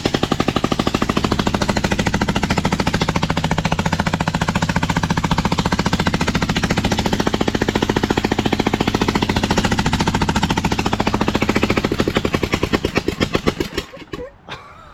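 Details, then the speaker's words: Newly fitted engine on a Lesco Viper 54" zero-turn with no muffler. Loud, sharp, lopsided exhaust pops at about three and a half per second, then choked out because the shutoff doesn't work; running on one cylinder. "Wow. That's almost too loud to run. But it runs."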